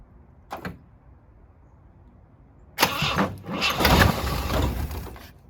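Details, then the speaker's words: 1967 Jeep CJ5A with Dauntless V6, found sitting in a garage and revived: quiet, then a short crank and the engine catches at once and settles into a steady run; clean healthy first start, runs like a kitten. "Might still have. It's alive. $0, folks. Drive it home today. Purrs like a kitten."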